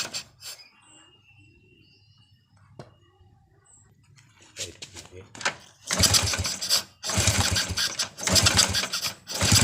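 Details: Early-generation Honda Revo carburetted motorcycle, hard to start and stalls when throttle is opened: quiet stretch, then rough bursts that sag and cut out under throttle; ignition checked normal, spark plug black and dry; cause was a clogged carburetor jet.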